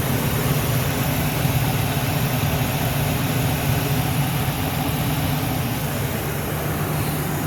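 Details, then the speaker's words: 2000 Ford Excursion Triton V10 idling after new spark plugs, ignition coils and a replaced steel line. Steady, even low rumble with no misses or leaks; a faint valve tap, possibly a lifter or cam follower. Normal idle. "oh heck yeah that sounds a lot better I don't see anything leaking I don't hear anything out of the ordinary"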